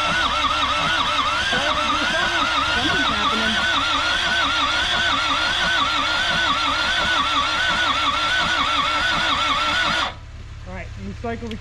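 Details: Isuzu P'up turbo diesel four-cylinder mini truck sitting 28 years, injectors bled, on dirty parts-washer fluid, key cycled for glow plugs: even starter churn about four beats per second for ten seconds without catching; cranks but no start.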